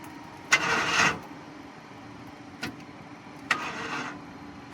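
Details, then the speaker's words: 1996 Ford F150 that won't start: two short, sluggish bursts of starter churn die without firing. Crank-no-start; the owner suspects the starter isn't engaging correctly, unconfirmed. "Interesting. So, we have a small little crank. Like, if the uh I don't even know, maybe the starter is not engaging correctly, but it is trying to churn."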